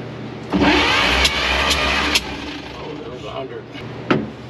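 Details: 1953 Chevy 5700 COE truck, sat about 50 years, cranked during a compression test (cylinders reading about 60 and 75, one with no compression): starter turns it under two seconds with uneven chugging, a few clunks, then stops; cranking, no start.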